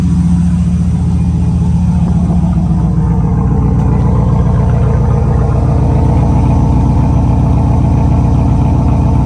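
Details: 26-year-old 4th-gen Camaro Z28, 229,000 miles, straight-piped, recently replaced fuel and water pumps: deep, loud, even V8 rumble from open pipes, steady firing, no knock or miss; sounds healthy though O2 sensor codes later found.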